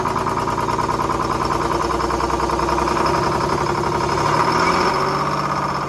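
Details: 1970s Crane Carrier 10-wheel-drive truck, Detroit 6-71 two-stroke diesel, started without ether after freeing four stuck injectors and the rack: loud, busy drone, firing steady and building slightly in speed, catching and running on its own fuel.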